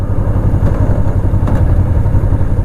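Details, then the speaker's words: 2005 Kawasaki Ninja 500R parallel twin, 22,000 miles, revived after sitting 10 years, first ride: even throaty low idle rumble, steady beat, no ticks or misses; running normally. "Yeah, this thing is it's really happy. It's a very happy bike. Very happy. Sounds incredible. For 22,000 miles, this thing sounds amazing. Sounds like it's still breaking in."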